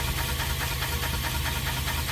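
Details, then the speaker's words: BMW 318 E90 after differential replacement, running on stand with wheels turning: steady drivetrain hum with soft knock about twice a second; propshaft flange at diff wobbles from a missing bolt, earlier rumbling gone; driveshaft flange knock from missing bolt. "there's no rumbling great success just the noise from the diff where I need to just get a new Vault on it"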